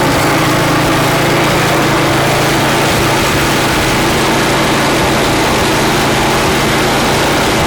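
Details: Craftsman snow blower (customer's) after cleaning and reassembly with a replaced seat: small engine holds a steady, even buzz at constant speed with no misses or surging; it runs smoothly.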